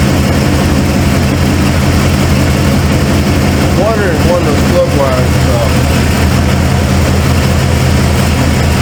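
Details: Cold start of a 1995 Ford F-150 V8 barn find: a low idle with an uneven, lumpy beat as one cylinder drops out. The owner first suspects plug wires or firing order, and a passenger-side plug was gas-fouled. The cause is a dead injector.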